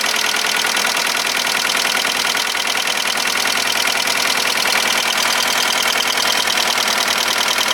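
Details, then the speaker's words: VW Golf 1.4 petrol four-cylinder at its first start after a timing belt replacement: steady, even, quick idle with no banging, knocking or blue smoke; it runs normally. "the engine starts easy it ticks over nice it does absolutely everything it's supposed to do"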